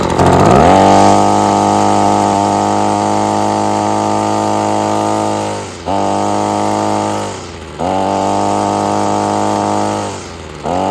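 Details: Husqvarna two-stroke trimmer with string trimmed from a 28-inch to 20-inch span: high steady buzz in bursts, revving higher than before, but the carburetor may still need tuning.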